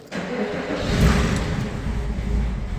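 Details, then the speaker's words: BMW E9x M3 with 217,100 km on cheap oil, cold start after sitting a week, spark plugs due for change, some smoke. Catches at once, then uneven, lumpy idle; owner blames back pressure buildup, unconfirmed: rough cold start. "I had a very bad start there's a bit of a back pressure buildup"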